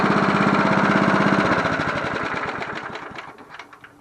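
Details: John Deere NO20K push mower (1980s), after cleanup, final startup: small single-cylinder engine winds down from fast run to an even, regular idle beat with no stumbles; runs fine.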